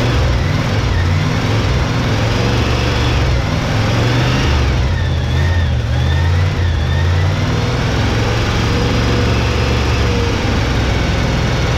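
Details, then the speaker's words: 1971 Chevy K10 4x4 pickup, 350 small-block V8 with carburetor, revived after sitting ~10 years, cold, choke on, carb gasket leaking: deep, lumpy idle sitting low and slightly uneven but self-sustaining; low rough idle, owner suspects old gas. "That's out of idle. It might be idling low right now due to the just because of that gas."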